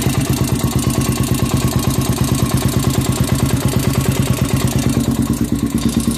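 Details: Honda 400ex after an engine rebuild: a single-cylinder idle with a hard, even knock about three times a second over the exhaust beat. Bottom-end noise, likely a worn bearing.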